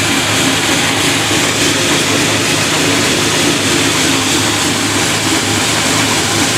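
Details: Fresh supercharged 408W stroker V8 on its first start-up, recorded from inside the car while revved: loud steady roar with crisp even firing, smooth, no knocks, ticks or whine; healthy.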